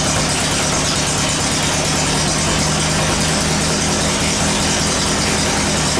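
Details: VW after transmission work: steady, even engine drone, no crunching, grinding or clunking; shifts through all four forward gears and reverse cleanly.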